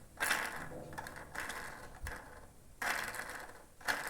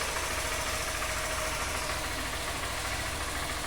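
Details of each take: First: Honda Fan 160 2020 engine opened, cam chain sprocket and rocker removed, camshaft turned by hand: dry ratchety clicking from excessive up-and-down play; worn camshaft bearing causing the engine noise. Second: 2020 Honda Fan 160 motorcycle running after repair: loose camshaft addressed, very dirty oil replaced; even, steady beat with no rattle or knock, the engine noise has disappeared.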